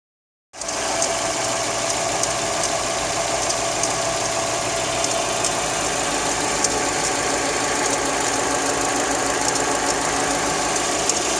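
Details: Hyundai i30 engine, cold: light, fairly regular ticking about four per second over the idle that appears when the engine is cold; source not pinned down.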